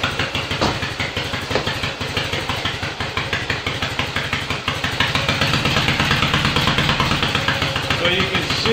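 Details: Yamaha XS650 dual sport build with a larger carburetor kit, kick-started after sitting overnight, a day after its first start: even, regular twin thumping at a steady idle with no knocks or misses; normal idle.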